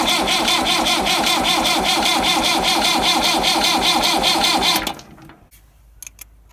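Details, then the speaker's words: Massey Ferguson 175 tractor in neutral after rewiring and new fuel tank petcock, bleeding fuel lines: steady cranking about 2.5 turns per second never catches; fuel reaches only two injectors, nothing from fuel pump top vent, air suspected in lines, no-start. "So it's not firing up. You guys heard it. It's kind of turning over. It's pushing out of 2. It's pushing fuel up to 2 fuel injectors."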